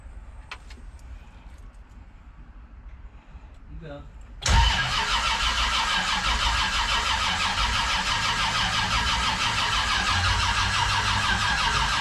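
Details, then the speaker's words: Old carbureted car, winter cold start in mid-December, fuel bowls likely dry; starter churns unevenly for several seconds, 0 oil pressure until it fires abruptly into fast rough idle; hard start, cause unconfirmed. "Well, I'm gonna have to crank this thing, and then after I crank it for a little bit, I'll have you pump it up there, and I'll start cranking again."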